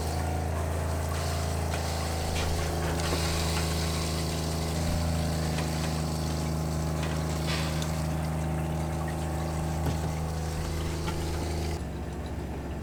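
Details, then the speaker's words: Campervan Shurflo water pump switched on with LPG instantaneous water heater: steady low drone, constant buzzing pitch and trickling water, cutting off cleanly; pump running smoothly and healthy. "okay we're gonna put on the water pump you can hear it the gas and the heater okay"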